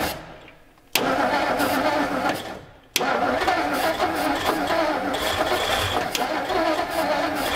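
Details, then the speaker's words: 1957 Meteor Rideau, first start after long storage, run on starting fluid: two sharp catches die off, then fires and holds an uneven, lumpy run without knocking. "carburetor cleaner because it's not as aggressive this starting fluid doesn't make the motor to knock and rattle it seems to like it"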